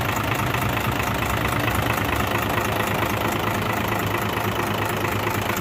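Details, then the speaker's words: Hino 500 FM six-cylinder diesel truck after fixing oil leaking from dipstick and refilling oil: steady, even idle with regular beat, no misses or knocks; normal idle. "तो अब तो माशाल्लाह बिल्कुल ठीक है ना, तो उम्मीद है इंशाल्लाह ये बिल्कुल ठीक है।"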